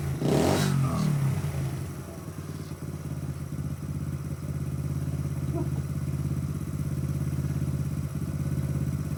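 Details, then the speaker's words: Honda Z50-style Dixie mini bike, freshly installed engine started without choke, throttle cable hooked up; small single-cylinder putters with a steady, even beat, no knocks or misses, running normally. "Oh, holy Look at that run. I didn't even use the choke."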